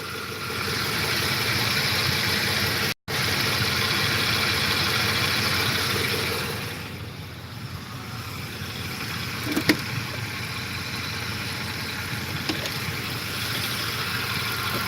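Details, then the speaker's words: 2008 Ford F-150 at warm idle, coolant 204°F: soft rhythmic chunka-chunka knock, three or four a second, that the owner attributes to the cam phasers, with no ticking heard; owner mentions sludge clogging cam-timing solenoid screens. "I can hear my cam phasers. It's kind of like a chunka chunka chunka chunka chunka, but I'm not hearing the ticking."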